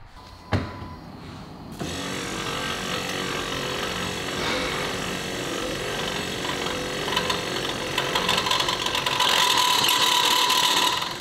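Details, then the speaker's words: Brand-new aftermarket windshield wiper motor just installed on a truck: harsh rattling buzz with rapid chatter, about four per second, over the motor's whir; sounds terrible and likely needs replacing again; noisy wiper motor. "So I'm sure you guys can hear that. That one doesn't sound too good."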